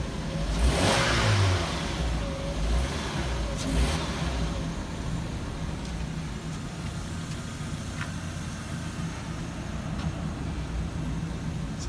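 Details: Vauxhall/Opel Zafira B started after replacing the cracked front exhaust flexi pipe on a hot 31-degree day, no engine light: engine blips and settles to a smooth, even idle with no puffing or ticking leak; healthy after repair.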